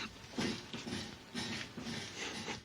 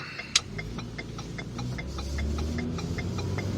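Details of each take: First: 2011 Ford Fusion Sport, engine running in garage, steering wheel turned: repeated groaning creaks from the front end, about one per wheel turn, traced to the worn strut top mount plate twisting; struts to be replaced. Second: 2011 Ford Fusion Sport driving after front strut replacement, which fixed creaking in the steering: only low, even road hum and faint light ticking while turning, with no creak or groan. Steering is quieter and less binding.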